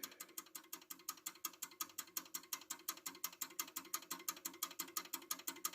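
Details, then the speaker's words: German mantel clock with a platform lever escapement ticking very quickly and evenly, close to three beats a second, far too fast and impossible to regulate; the mainspring's power overpowers the small platform escapement. "you can hear and see it's going way too fast"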